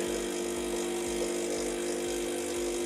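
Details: Saeco Incanto HD8911/09 espresso machine after burnt control board replaced and reassembly from owner's disassembly, first coffee: steady buzzing pump hum with soft, regular pulses about three times a second; normal, even brewing cycle.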